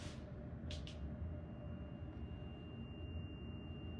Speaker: I don't know if you can hear but there's like a it's like a noise coming in from inside here and when I disconnect one of these it's like a higher tone sound